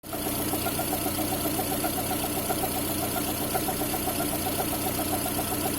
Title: Свист ремня ГРМ?